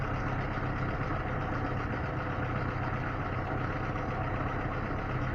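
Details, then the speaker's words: Lada Niva engine after owner-done valve clearance adjustment for valve knock; smooth, even idle with steady low hum and no ticking, works well. The chain tensioner is already worn. "но звон кого нету хорошо работает"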